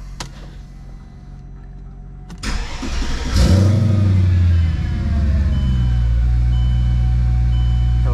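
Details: Mercedes CLK55 AMG supercharged M113K V8 first start after fitting EV14 550cc injectors and SIKKY thermal gaskets, battery kept on charger during work: quick crank, catches at once with brief rev flare, settles to steady, even, deep idle; healthy start.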